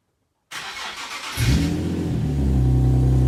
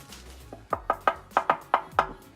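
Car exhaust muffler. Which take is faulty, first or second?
second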